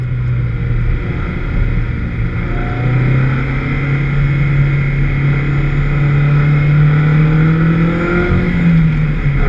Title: VX220 with Misfire at 3 Sisters Circuit